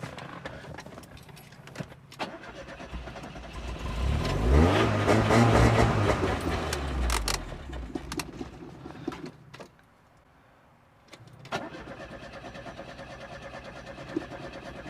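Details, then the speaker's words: Classic Fiat Spider after replacing the mechanical fuel pump with an electric pump on a relay, fuel flowing, starter fluid added: starter churns steadily with a rhythmic beat but the engine never catches; cranks but no start, cause unconfirmed. "That's just the starter fluid going, not the actual motor, but there is fuel getting in there, so sound"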